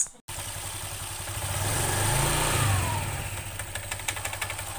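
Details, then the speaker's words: Honda Vario 125 scooter CVT revs up smoothly, then a quick tek-tek ticking of about three to four a second appears as RPM falls on deceleration; the knocking disappears around 3000-5000 RPM. "perhatikan lagi ketika RPM naik dia halus suaranya ketika RPM turun dia tek tek tek tek tek tek tek tek tek"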